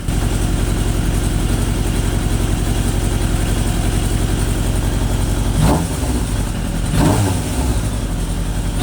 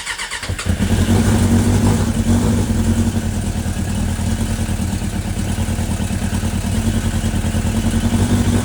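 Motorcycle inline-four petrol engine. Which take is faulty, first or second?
second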